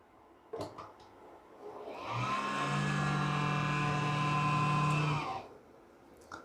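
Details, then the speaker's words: Desktop PC that won't boot, retested after RAM was checked: the CPU fan spins up to a steady hum for about three seconds, then winds down and stops. RAM is ruled out. "तो देखिए दोस्तों यहां पर same process चालू है मतलब fan घूमकर तो बंद हो गया"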